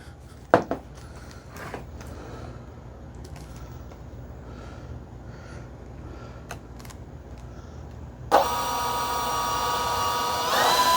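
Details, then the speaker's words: Kavan Skyfox L-39 80mm EDF: quiet clicks, then the fan whines up to a steady, slightly wavering tone and climbs again, odd detuned sound at idle spool; impeller shows no vibration, running fine. "It sounds really cool at full speed, but it sounds like an out of tune uh, radio whenever it's just spooling, you know, just in idle and stuff."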